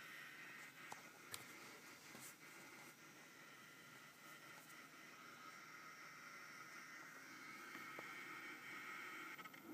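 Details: eFuel PSU30ADE bench power supply at idle (under 10W, any set voltage): faint buzzy rattle with irregular clicks like an old SCSI drive; it draws 12-16W constantly, so the fan periodically roars like a hairdryer.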